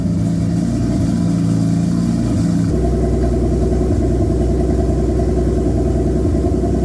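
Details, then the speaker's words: Toyota Supra Mk3, non-turbo 7M newly fitted with a larger turbo; steady idle, then a sharp rev to about 2000 rpm (owner's estimate) with a fuller exhaust note, turbo audibly spooling quickly through the exhaust; normal turbo spool. "but it sounds pretty good it spooled up pretty quick uh you can hear the turbo spilling up through the exhaust"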